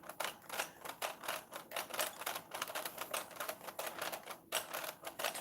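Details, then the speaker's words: Revell Visible V8 plastic model engine after rocker shaft was sanded and glued: fast, uneven dry plastic clatter in rapid bursts; something is binding, owner suspects parts clamped too tight. "okay so something something right there is binding it might just be that the engine is too i might have clamped everything too tight"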